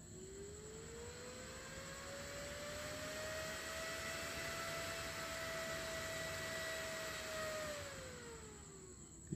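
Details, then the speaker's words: 12V DC fan on a TIP41 DC dimmer speed module fed by a 2A transformer (fan max 3A): tone rises smoothly to full speed, holds even, then falls as it is turned down; running normally. "saya akan lanjut ke putaran tinggi nah ini full apabila ini full ya guys"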